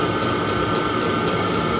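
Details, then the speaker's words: Cheap Chinese diesel heater on a 12 V 360 W supply, just lit on first startup: steady burner roar with a whistling tone and sharp dosing-pump ticks about four a second, putting out heat; running normally. "we're heading a liftoff if this is goodbye see you now the tick is a tick you know but would rather have a tick and be warm or no tick can be cold"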